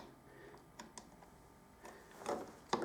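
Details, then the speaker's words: Harley-Davidson handlebar brake lever worked after a grip change: a few soft, crisp clicks in a quiet room as the brake light switch snaps on and off. Brake light switch working normally. "and just listen for the switch you can hear it click he it so make that's just making sure that your brake switch is working"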